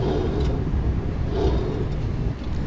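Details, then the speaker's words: Car driving at speed with a deep, steady rubbing hum under the car that rises as speed increases, from a worn wheel bearing, often the rear; bearings were replaced. "ये bearing की आवाज होती है bearing एक आवाज करो ये चारों आवाज कर रहे हो आवाज से ही आई है"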